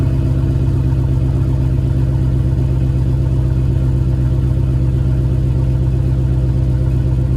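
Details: Car with JBA shorty headers and stock exhaust at cold idle after an exhaust leak was fixed: steady deep idle with even pulse, no puffing or ticking, sealed and healthy.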